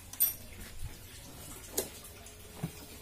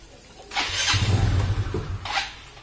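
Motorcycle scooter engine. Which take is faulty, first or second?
second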